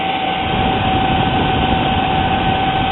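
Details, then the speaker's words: Athlon XP 2400+ overclocked PC, stock CPU cooler modified with a fast-running 70mm fan: loud steady airy roar with constant high tone, moves a lot of air, quieter than many fans; normal operation. "fitted this fast running 70mm fan onto it, which it puts out a lot of air. As you can hear, it's quite loud, but not as loud as a lot of fans I've messed"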